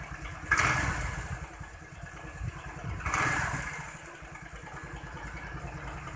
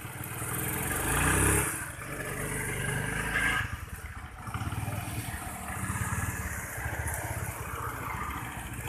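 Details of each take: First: Honda Vario 110 scooter, previously stumbling on initial low-rev throttle, after air-screw adjustment: picks up cleanly on two throttle blips and settles back to even idle, no low-rev stumble; fixed. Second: Honda Vario 110 scooter stumbling at low rpm with mid and upper rpm normal, vacuum rubber fine: engine stumbles and sags as the throttle first opens, then picks up; loose carb choke and tight valve clearance.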